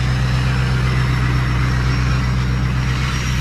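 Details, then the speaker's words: Diesel truck started with a Loki Thor J3250 jump pack from a battery at about 12.1 V: an even, steady low idle with a faint, thin turbo whistle on top and nothing knocking. It is healthy and warming up. "can hear that right I love it when big black does its little turbo noise so I'm going to go ahead and let this thing warm up"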